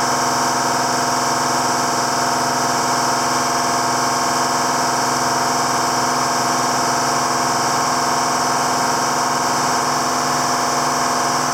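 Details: 7410 diesel tractor at its first start after an in-frame engine rebuild, with the injector pump bled to the tips: steady, even diesel idle with a smooth clatter and no knocks or missed beats, and it sounds healthy.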